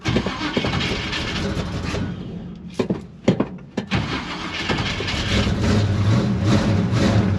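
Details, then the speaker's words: Big-block 1956 Chevy gasser wagon on a cold start after sitting in snow; snow got in through the cut-out hood and water reached the distributor, which is missing on a couple of cylinders. Water is also found in the oil. Stumbling catch, then a rough uneven lope with dropped beats. "so water got down and distributor is clearly missing on a couple of cylinders"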